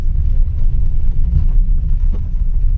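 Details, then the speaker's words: Maruti WagonR after drive shaft repair for knocking on turns, road test: steady low road rumble through left and right turns with no clicking or knocking from the front; CV joint now normal. "आप सुन पा रहे होंगे कोई आवाज फिलहाल इसमें नहीं है य राइट में भी कोई आवाज नहीं है"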